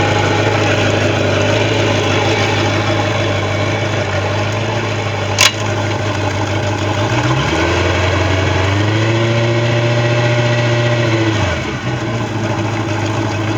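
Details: Bayliner boat engine with a bad starter: even idle, then one smooth rev that climbs, holds about three seconds and drops back, with no knocks or stumbles; normal running.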